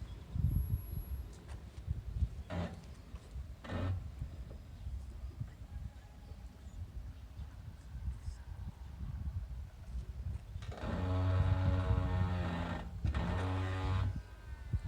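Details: 2020 Toyota Corolla Hatchback reversing at low speed down an ~8% ramp while braking; loud, low groaning creak rising for a few seconds as it stops; owner unsure whether brakes or suspension.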